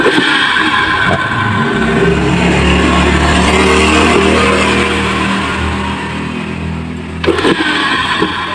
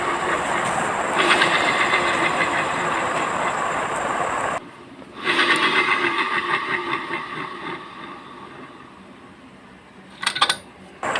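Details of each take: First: Yamaha Mio J scooter CVT after replacing the rear pulley bearings, previously grinding; steady drive whir with a slight dip near the end and no coarse grinding, now running noticeably smoother. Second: Yamaha Mio J CVT: rough, gritty grinding from the rear pulley area while it spins, dropping away when it stops. The noise vanishes with the pulley removed and returns when it is refitted, pointing to the pulley's small bearing and needle (bamboo) bearing.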